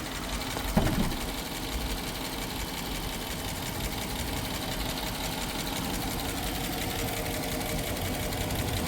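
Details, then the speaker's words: Dodge Durango 5.7 Hemi V8 auction car, all stock, oil level okay: fast sewing-machine-like ticking steadily over a smooth idle; owner suspects oil issue, exhaust leak or, at worst, a lifter, not confirmed. "You probably wouldn't know the difference, but I I got all these Hemis, so it's either going to be some sort of oil issue or a um exhaust leak or worse come to worse, a uh a lifter."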